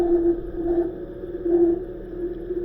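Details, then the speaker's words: Northland NM13A refrigeration module on the bench with thermostat terminals jumped, compressor and condenser fans running: steady high squeal over the hum from the evaporator fan motor, not the compressor as a service company claimed. "that squealing noise is coming from the evaporator fan motor"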